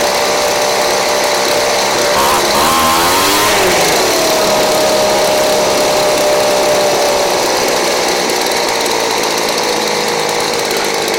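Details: Craftsman 29cc two-stroke blower, once a no-start missing its spark plug and fuel, now with a Chinese aftermarket carb-kit plug: loud, high buzzing note holding steady after a quick rev blip; running cleanly.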